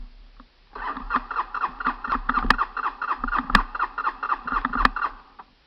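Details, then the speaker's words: Honda TRX 300 ATV, cold start outdoors in cold weather: steady starter cranking about four pulses a second for several seconds with no catch; fuel smell suggests the engine is flooded, will not start. "I smell gas which means it's flooded. That's not a good thing."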